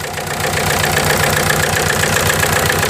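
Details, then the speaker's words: 1998 VW TDI at nearly 500,000 miles, run on waste vegetable oil, with the breather pulled out: uneven, lumpy idle pulsing near four beats a second with puffing from the open breather; heavy blow-by past a stuck ring, worsening daily, with a head-off ring replacement planned. "So it's pushing all the compression down into the bottom of the block, and it's got to escape somewhere."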